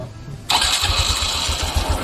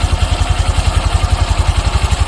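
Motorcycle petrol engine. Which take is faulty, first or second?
first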